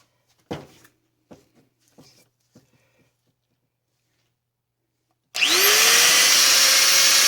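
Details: Angle grinder repaired after its ball bearing fell apart, gears repacked: a few handling knocks, then the motor winds up quickly to a smooth steady high whine with no grinding or rattle; running normally.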